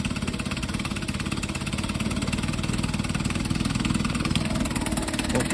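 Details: 1952 Johnson SeaHorse 10hp two-stroke outboard, found in the trash, running without carburetor rebuild or new impeller, small gas drip noted: puts along with a quick, even crackle and steady pitch, smooth and healthy, no misses.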